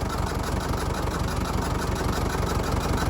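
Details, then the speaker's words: Fordson Major diesel tractor, run after sitting over 20 years, with the air intake removed: loud, low chugging idle at about three beats a second with a slightly uneven pulse. Owner suspects a dead cylinder or just intake noise; oil pressure is steady. "so might be down a cylinder no it might not be could just be because i got the air intake off the top of it could be just hearing and sucking in"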